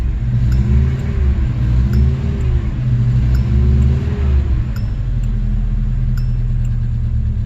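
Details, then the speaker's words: 1986 Subaru GL, sat outside a decade with history of carb issues, just restarted with blocked-off vacuum lines: rough low idle surging and sagging every second or two, struggling to keep running; cause unconfirmed. "okay just see if I can try to figure out how to keep it stay running"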